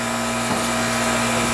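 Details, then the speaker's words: R22 Goodman AC condenser, called in for not cooling the house: steady low compressor hum and even fan whoosh, no rattles or chatter. Cooling well and not leaking. Normal condenser operation. "it's actually it's actually not bad for an r22 unit it's a goodman unit that's not leaking"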